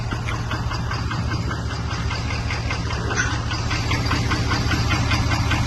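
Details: Ford 6.7 Power Stroke diesel just back from the shop: a steady idle with a fairly regular sharp knock of about 2.5 per second over the low rumble; a bad injector is suspected.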